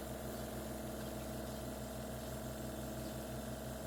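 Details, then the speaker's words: Chefman single-serve coffee maker with 40 oz rear reservoir: steady hiss with a throbbing pump pulse about three times a second before brewing, which the owner believes it shouldn't do; it then shuts off early with little coffee. "Okay, here we go. Pretty sure it shouldn't be doing that either."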